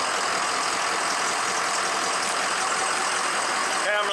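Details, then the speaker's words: Diesel truck engine just reassembled after a nail damaged a piston (piston replaced, factory O-ringed heads, ARP head studs) and a high-pressure pump failure; restarted after bleeding most air from fuel and oil systems, fires right off into steady, even idle warming up. "start it back up as you can tell that sounded a lot different now i got most the air out of system fired right off"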